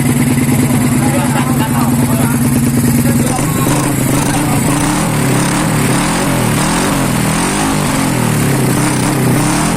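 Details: Honda Beat ESP 2020 fuel-injected scooter, first start after a custom downdraft throttle body conversion using a CBR150R manifold, injector and injector holder. The engine idles with a steady hum, then the pitch steps up and holds when revved, running evenly with no knocks.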